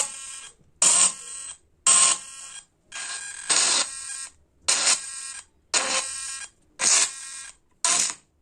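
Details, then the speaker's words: Shivay CA-611 Bluetooth speaker: harsh buzzy crackling bursts cutting in and out about once a second; driver tested good, distortion from failing amplifier board (kit). "हमारा जो kit है जो ये sound ऐसी इससे हमें दिक्कतें ए रही है जो की ये साउंड इस जो की खराब होने के कागर पे ए गई है क्योंकि इससे आवाज जो निकाल रही है वो सही तरीके से आवाज प्रॉपर नहीं निकाल रही है"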